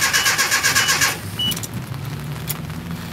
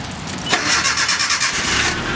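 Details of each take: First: 1987 Nissan D21 pickup after fitting a new fuel pump: about a second of quick even starter cranking at roughly four beats a second, then stops without catching; crank no start, no fuel pressure yet. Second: 1987 Nissan D21 pickup, Z24 four-cylinder, long-sitting, with new fuel pump, drive shaft just connected: short crank, catches at once, settles to a steady idle; normal prompt start.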